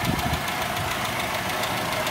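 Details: Toyota Kijang 5K engine at idle: light, fast, even ticking over a steady idle, loose valve clearances; valves need adjusting.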